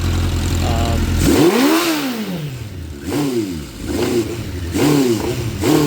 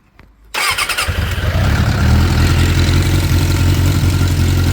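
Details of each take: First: 2006 Suzuki GSX600F Katana after a carburettor cleaning, with the mixture screw turns guessed: throttle blips rise then sag and the engine hesitates and won't rev, with backfires. Owner suspects it is too lean and plans to try 2¼ turns out. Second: 2006 Suzuki GSX 600F Katana after carburetor cleaning, air/fuel mixture screw setting guessed: cranks briefly, catches and settles into a steady, even idle with a low regular thrum.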